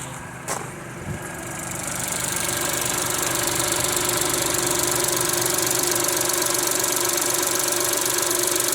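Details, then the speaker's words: Renault Twingo after fitting a new camshaft solenoid for cam position fault DF363/P0011, no fault codes: brief clatter at startup then steady, even idle with a quick regular tick, no misfire or stumble; runs okay on its own, normal idle. "I've just got to see what it sounds like. Now it's running okay on its own."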